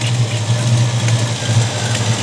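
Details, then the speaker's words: 1967 Ford Mustang just after a fresh oil filter was fitted; the dipstick tube is loose with a bolt missing. A rough, lumpy idle with a faint light tick on top; the owner suspects a valve tap or possibly an exhaust leak, unconfirmed. "that's what it sounds like to me a valve topping well it sounds like it's got a valve tap or something"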